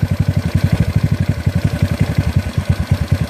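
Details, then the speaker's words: GY6 engine with OKO PWK 30mm carburetor, air/fuel mixture screw at one and a half turns, idle screw backed out: slow, lumpy single-cylinder putt about ten beats a second that falters and sags; idle set too low, near stall. "just when I get the engine calmer but you don't want here like that he look like it's about to die"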